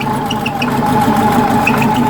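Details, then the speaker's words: Type 4 engine from a 1976 Porsche 914 converted upright for a 1968 Beetle, fresh start: even idle with steady mid-pitched whine and small chirps from a slightly loose drive belt; plan is to add another shim to tighten it. "कि यह वह शोर है जिसे आप बिल्कुल सही सुनते हैं यह बेल्ट है यह थोड़ी ढीली तरफ है इसलिए मैं एक और शिम लेने जा रहा हूं"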